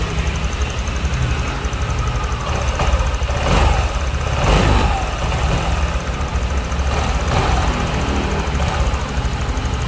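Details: Honda Vario scooter after replacing the cam chain tensioner: single idles with steady, even putter and no chain rattle or ticking; quieter and calm.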